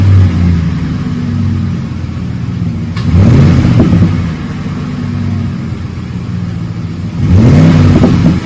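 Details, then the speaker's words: 2008 Ford F150 5.4 V8 with a new cat-back dual side exhaust, 3.5-inch stainless tips, Magnaflow single-in dual-out muffler and factory cats: low steady idle rumble, two smooth revs swelling and dropping cleanly; healthy, mild tone. "Put a Magnaflow single in dual out muffler on it. Give it a nice little purr to it. Left it all factory up front with the factory cats."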